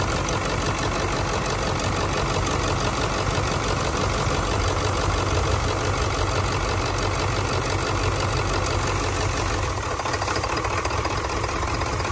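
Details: Ford OBS 7.3 Powerstroke diesel, about 150,000 miles: even clatter at idle, steady beat, no stumbling or dropped cylinders. Running clean on all eight after an injector-versus-harness test; the fault was a bad injector wiring harness, not an injector.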